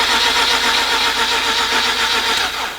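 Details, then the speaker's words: 2004 Mazda RX-8 (13B rotary): rapid, even cranking near 220 per minute that never catches. Owner fears blown apex seals; a scanner later reads a cylinder 2 misfire code. Crank no start, cause unconfirmed. "You know, some of you guys are thinking you're probably gonna get a dead starter. That's the sound you don't want to hear, man. This could be blown apex seals."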